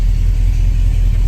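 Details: Jeep CJ7 running after fuel system repair (fuel pickup replaced), restarted following a flooded, smoky start; volts and oil pressure look good. Brief, steady low rumble with even firing pulses, no tapping or misfire; engine running cleanly.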